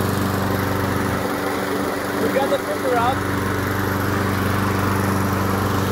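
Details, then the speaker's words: Briggs & Stratton lawn mower found discarded, revived with a new spark plug and carburetor cleaner; it started first pull and the air filter is worn. The single-cylinder engine runs at a steady fast beat with no misses or surging; a healthy engine. "The motor is working very well, so the next project will be a go-kart."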